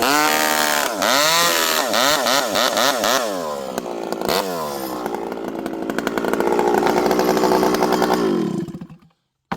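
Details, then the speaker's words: Stihl 064 chainsaw with new carburetor, warmed up, 25-inch bar, full-throttle cut under heavy load: high steady two-stroke scream dips slightly in the wood then recovers; strong clean-running saw. "Wow, this thing cuts. 25-inch steel, full house. I'm leaning on her pretty good there. This thing pulls hard and it's fast."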